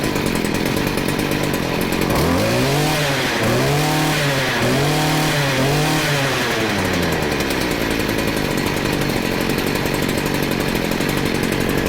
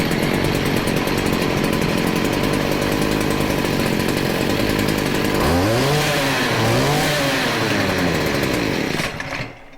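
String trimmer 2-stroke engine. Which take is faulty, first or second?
first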